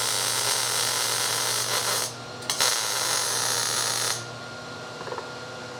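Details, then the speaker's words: MIG welding the exhaust crossover on a turbo Nova drag project; steady crackling sizzle with short pauses between beads, running a touch hot, warmer than needed. "Thing sounds like it's ripping. It's pretty warm. Possibly warmer than it needs to be, but that's okay."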